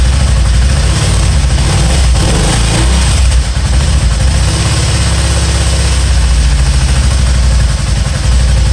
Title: spyder misfiring